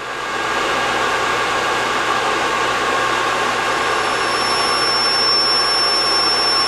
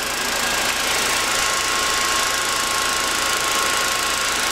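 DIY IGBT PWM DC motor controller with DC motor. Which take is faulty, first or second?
first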